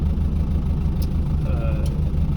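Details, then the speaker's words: 1957 Mercedes 180D, 1800 cc 42 hp diesel with glow plugs, just started after glow plug solenoid clicked: deep, even diesel clatter idling slowly and steadily with no misses or knocks; running normally. "so I wait a few minutes or a few seconds and it burst to life so this is a 18800 CC um diesel which means it's in it's a it's 42 horsepower"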